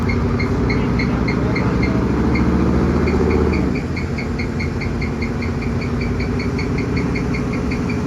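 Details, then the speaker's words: 2013-14 Coyote Mustang, bolt-ons, 6R80 automatic, on a dyno: steady engine drone with a light high chirp about four times a second from a failing dyno roller bearing, not the car. "now you'll notice once he gets going that there's a little squeaking noise and that's actually the dyo one of the bearings was going out in the dyo"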